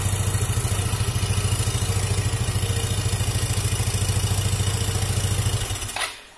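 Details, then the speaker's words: Yamaha Xeon GT125 with stalling, unstable idle, just after cleaning the possibly clogged ISC idle air valve: even, steady putter at idle with no hunting or stumbling, rpm higher than before, then switched off cleanly; normal idle. "ini pemirsa ini rpm nya begitu biasanya dibersihkan itu rpm nya langsung tinggi tidak seperti tadi"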